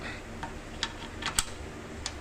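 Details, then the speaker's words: Springer motorcycle front end rocked by hand: sharp, irregular metallic clicks and clanks from a worn brake stay with loose play, later fixed by slicing, clamping and welding the worn part. "So, a part of my front end for the brake stay is worn out."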